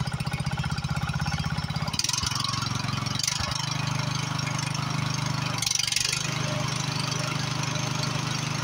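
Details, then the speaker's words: Free Husqvarna YHT20k46 hydrostatic riding mower, hood closed, after its reportedly blown Kohler Courage engine was swapped for another motor, runs with an even, steady single-cylinder beat and no knocks or misses; it runs good. "It runs good."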